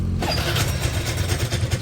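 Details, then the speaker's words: Suzuki Lets scooter before repair: rough uneven idle with loose clattering right after starting; engine noise suspected to come from the side cover, which is also leaking oil, cause not yet confirmed. "सकते हो engine का sound बहुत खराब से आ रहा है ये सुनिए और यह कवर से ज्यादा से ज्यादा यह कवर से हो रहा होगा"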